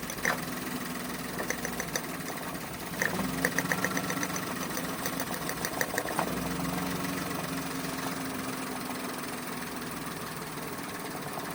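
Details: Toyota Wigo automatic with low power and misfire. After a restart the idle is uneven, with irregular ticking and an unsteady beat. This is a misfire rough idle.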